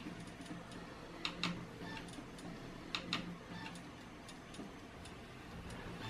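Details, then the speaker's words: Dell Inspiron 17 5000 with failed Toshiba SATA 5400 RPM 1 TB hard drive, during reboot: sharp uneven clicks, often in quick pairs, over a faint steady hum; repetitive clicking from the dying drive. "the disk is going I can hear it"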